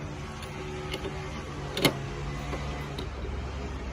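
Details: Toyota Vios after alternator whine repair with a non-genuine replacement alternator fitted: quiet, steady engine hum with no whine above it, a few handling clicks; engine and alternator sound normal.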